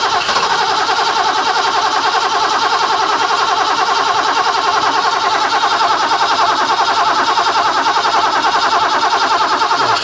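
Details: Barn-find 1980s BMW E12/8 M535i Lightweight (1 of 7, South African market), fuel-injected, untouched 30 years, on a temporary external fuel pump rig: the starter turns the engine over at an even beat for about ten seconds, never catching. It cranks but won't start, and fuel pressure is unknown.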